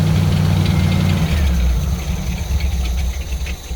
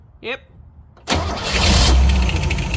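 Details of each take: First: 1964 Chevrolet Suburban after running heavy-gauge wire from key switch bypassing GM wiring: catches and runs at a fairly steady low beat for several seconds before fading; starts and idles. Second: 1964 Chevrolet Suburban small-block Chevy, newly installed ignition, fuel tank not yet connected: starter cranks the engine steadily with no firing, checking for spark; cranking, no start because there is no fuel.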